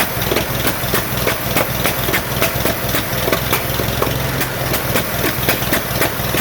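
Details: 1947 Farmall M tractor, first start after rebuild: lumpy uneven idle, irregular chuffs about three a second with gaps; running on only two cylinders, carburetor popping, no power; later found plug wires reversed, fixed.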